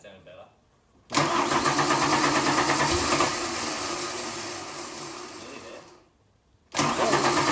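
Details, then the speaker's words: 1992 Ford Falcon EB long off the road: steady fast cranking, about three beats a second, never fires; cranks but won't start, owner guesses a stuck valve, unconfirmed. "oh that's I got caught up on a um cylinder that sounds like there's a valve stuck Maybe awesome"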